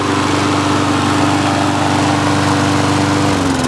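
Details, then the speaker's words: Briggs & Stratton auto-choke mower engine, hot, about 85°F, final test after service: steady, even drone with constant pitch, no misses or surging, revs drop cleanly at shutdown; auto choke working, running healthy. "and it fires up perfect fires up like a gem so it's running great ready to go"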